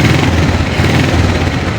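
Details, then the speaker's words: Motorcycle electric-started after one minute of warm-up, nearly died at first but now starts strongly: small single-cylinder engine putters at a steady even idle with no misses or knocks; normal running. "Sudah bisa starter walaupun tadi agak mau mati gitu ya. Tapi ini sudah kuat starter."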